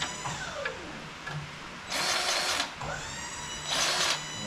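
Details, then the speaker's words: Grease gun greasing a fitting on a Wood-Mizer LT35 sawmill (25 hp Kohler Commander) during 50-hour service: short bursts of motor whir stopping and restarting; the fitting is bad and won't take grease. "that fit is bad it's not taking place so we'll come back"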